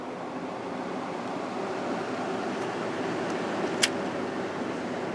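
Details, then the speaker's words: Emerson Quiet Kool air conditioner fan after swapping in a GE motor from a Kenmore unit, running on medium/low with blades fitted: soft, even rush of air with no hum, rattle or scrape. Normal fan running. "but yeah it's running nice and quiet now medium and"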